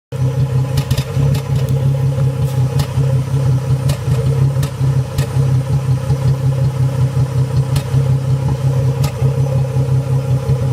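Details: 2005 Ford Mustang 4.0 rough idle with popping: idles in the 600s rpm with irregular pops about once a second; with A/C on, idle smooths to the 700s. Plugs and fuel filter changed, throttle body and MAF cleaned.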